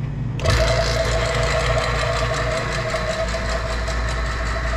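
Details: Vacuum pump (JB DV-6E, 6 CFM) evacuating a commercial refrigeration unit after refrigerant leak repair and a nitrogen pressure test: steady low drone with a constant mid tone and no knocks or surging; the vacuum pulls down fast, running normally.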